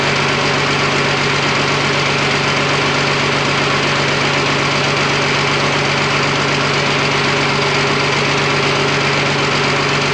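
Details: Freshly rebuilt twin-turbo Fummins diesel on first start, injection pump timing just set, no coolant, fuel leak present: steady, even clatter with a firm low drone, no misses, knocks or hunting; sounds super healthy.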